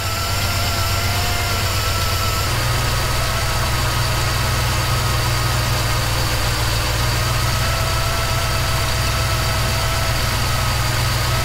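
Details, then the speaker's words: 1977 Chevy C10 V8 just after FiTech EFI replaced the Quadrajet, after idle learning and idle-screw adjustment: smooth, even, steady deep rumble, no hunting or misfire; idling well. "So I think that's going to do it. It seems to be idling pretty good there right now."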